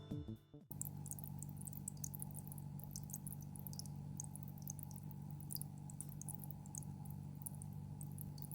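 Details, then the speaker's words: GEX Slim Filter DC-X M3 hang-on aquarium filter (new model) at maximum flow: soft steady low hum with light water trickle, without the old model's deep bass hum; quiet, normal running. "It's seriously quiet I think you'll understand if you listen carefully, but in the old model I could no longer hear the deep bass hum that I had been hearing, and only the sound of falling water echoed through the air."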